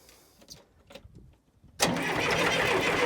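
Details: John Deere 401D diesel tractor that stalled, water in fuel being hand-pumped out: a few faint clicks, then sustained even cranking whirr about four beats per second that never fires; water in fuel suspected, not confirmed.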